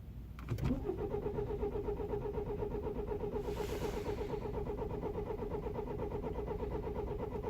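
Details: 2009 BMW E91 320i cold start after 9 hours outside at -12°C: starter cranks with steady whirring but engine won't catch; worsening over weeks, caused by broken camshaft timing chain tensioner, chain and tensioner replaced.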